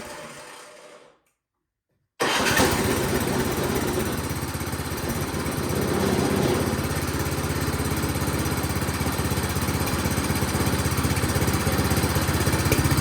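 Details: Toro PowerMax 7240E snowblower that sat 4–5 years with old gas, running after carburetor work with the carburetor only partially bolted on: catches after a short crank and settles into an even, steady chug with no misses or knocks; normal running.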